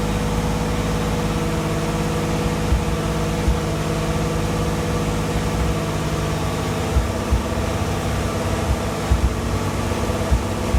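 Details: Replica exotic kit car on a 1986 Fiero GT chassis, ignition and fuel systems rebuilt, warming up: steady raised fast idle that never settles, racing too high; owner suspects a vacuum leak, not confirmed.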